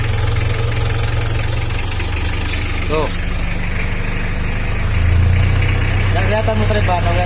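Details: Mitsubishi L300 after differential repair, engine idling and revved once in second gear: no whine, howl or clunk from the rear end; the differential runs quiet.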